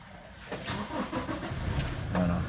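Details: Toyota Innova 1GD diesel after fixing a crank-no-start caused by a loose contact inside the ignition switch. Brief crank, then it catches at once and settles into a steady idle: normal start.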